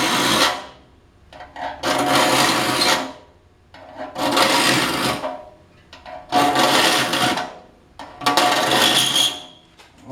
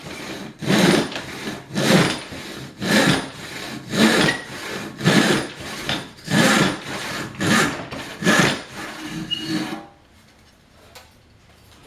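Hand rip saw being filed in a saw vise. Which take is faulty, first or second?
first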